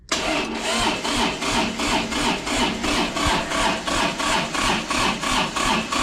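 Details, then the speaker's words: Kubota D905 diesel (Lincoln Ranger 300 welder) cold start on a chilly day after glow plug heating, powered by a jump pack: slow, steady starter drone with compression pulses that never catch; jump pack too weak, switched to jumper cables. "right I do not think it's going to have what it takes to get this done all right so the jump pack let us down"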